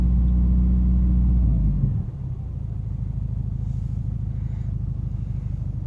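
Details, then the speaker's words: 2000 Subaru Forester S Limited, stock, cold start warming up, idle adjusted to about 800 rpm; held slightly above idle then settles to a steady, even low rumble with no knocks or hesitation; healthy. "sitting at around eight hundred steady yeah revs very smooth just bring the rooms up a little bit here"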